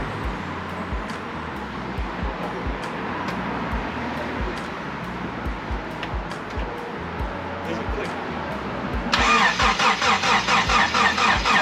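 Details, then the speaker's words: Honda Civic (OBD1) after rebuild with new timing belt, water pump and valve adjustment, first start attempt, low fuel: steady starter cranking about two beats a second, no firing; no spark because the distributor connector was not plugged in correctly. "you jump the thing and then read the listen you can hear [Music] it go ahead there's no spark huh there's no spark"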